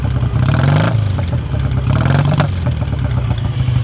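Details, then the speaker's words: 1959 BSA A7SS Shooting Star 500cc twin, older restoration, heard by the exhaust. Still warming up from cold, choke off, idle screw just turned down from running fast. Deep, even beat with no tapping: smooth, normal idle. "Uh, but the engine's nice and smooth as well. You can have a little listen to that. No nasty tapping or anything."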